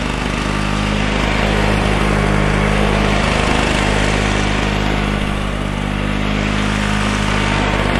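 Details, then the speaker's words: Flymo L47 two-stroke mower on 25:1 mix, revived from a non-runner: a buzzy note that wavers and hunts with dips in speed, running roughly; the owner suspects the carburetor jet. "It's not running 100% right. I've got a feeling it's that jet, but I may invest in a new carburetor for it if I can't get that jet out."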